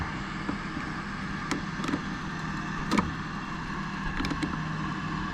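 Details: Triangle Tube Challenger boiler after venter (inducer) fan motor replacement: low steady motor hum with sharp igniter sparking ticks, new fan runs evenly and the burner lights; a missing piece from the old one had prevented it before.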